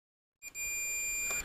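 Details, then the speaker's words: Multimeter on continuity testing the DC power socket of a Roberts R707 radio before bench-supply power-up: one clean steady high beep under a second, confirming centre pin positive; continuity beep. "Let's just stick the meter on continuity a minute, and let's go from the positive to,"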